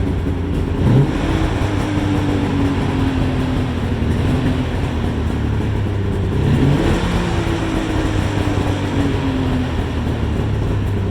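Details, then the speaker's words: Polaris Ultra 680 triple two-stroke, break-in heat run on stock exhaust: steady, even drone with a couple of smooth throttle blips, no knocks or rattles; nice and quiet, running healthy. "It does run it really sounds good. Nice and quiet. Really a good sounding engine."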